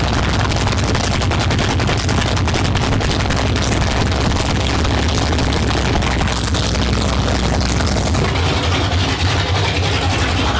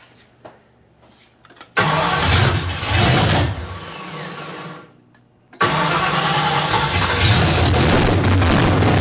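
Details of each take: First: 1972 Ford Maverick with a freshly rebuilt 317 V8 on its first start, no exhaust fitted, transmission fluid overfull. A loud, deep, lumpy open-exhaust idle with crackle, a steady beat and no misses. Normal idle. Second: 1972 Ford Maverick with a freshly rebuilt 317 V8, no coolant, carburetor untuned. It catches, sags, then restarts into a loud rumble that wavers and bounces around. Erratic idle; owner says the carburetor floats are too low, air leak still possible.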